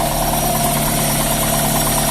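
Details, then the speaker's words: Daihatsu Gran Max with a rough engine, in neutral and revved: a busy idle with a faint fast internal "tek tek" tick. The cause is unknown until teardown and measurement. "nah nah kedengaran kan tek tek tek tek tek gitu Jadi ada di di bagian dalam mesin suara yang kurang enak gitu ya suara abnormal itu"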